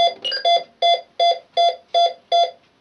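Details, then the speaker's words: Optima Plus burglar alarm control panel (an older Optima on which zone 1 cannot be omitted) after being set with no devices connected: seven quick, evenly spaced mid-pitched double beeps about three a second, then silence, a normal exit countdown. "So now I could set that, and then the panel would finish counting down."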